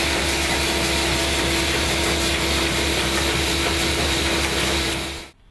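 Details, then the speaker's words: AccuCreaser air-fed machine in feeder mode at a selected variable speed, with its standard Becker vacuum/pressure pump: steady pump rush with a constant hum and fine quick ticking, even until shutdown; normal running. "We select the speed that we need to run at, press enter, run, and feed."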